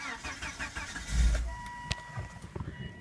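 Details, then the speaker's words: 2001 Volvo S60 cranking: engine fires for a split second then dies, repeatedly; fuel pressure reads just over 50 while cranking, fuel pump suspected but unconfirmed, a broken hose found underneath. "let me show you what it sounds like so you're kind of the cranks fires up for like a millisecond everytime then dies"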